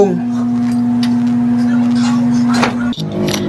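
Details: Window air conditioner humming loudly and steadily while its fan won't run; fan motor spins freely on its bushings, so the failed fan capacitor is the cause and gets replaced.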